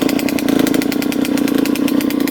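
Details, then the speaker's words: 2003 Suzuki RM125 two-stroke idling raspy and uneven with lumpy stumbling bog and blue smoke before repair, possibly running rich; cause found to be clogged pilot jet. "you definitely hear it [Music] definitely sounds boggy quite a bit of smoke coming out of here"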